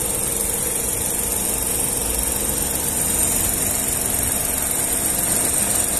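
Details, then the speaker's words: VW up! TSI at idle after a light throttle blip; radiator fan increases speed via its module, now blowing hard; steady whooshing air over quiet even idle; investigated and found normal radiator fan operation. "Aumentou a carga tipo ventilador de teto lá que você regula aumenta e diminui sabe o módulo que faz na verdade agora tá ventando agora dá para perceber o barulho da ventilação ligada agora"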